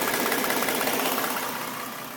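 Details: Suspected knock at idle on a stock 2011 Ford Mustang V6 with 24,000 km: light regular tapping over a smooth petrol idle, fading as the clip goes on. Left head sounds fine apart from injectors; passenger-side head sounds like a knock, unconfirmed.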